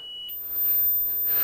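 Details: Marantz PMD 520 three-head cassette deck in a duplication stack, side B being biased: one short high beep, then faint very high steady tone over tape hiss, normal automatic bias calibration with no error.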